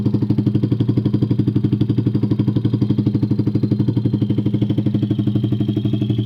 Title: Valve clearance or engine knock